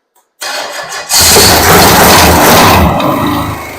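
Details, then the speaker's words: Rebuilt Pontiac 400 V8, new one-piece rear main seal, shop carburetor, unstarted for a week: half-second crank then strong even run, quiet lifters, no ticking or knocking; idles well, vacuum good, doesn't overheat. "nice and quiet it idles nice Run's good doesn't overheat and it's ready to go"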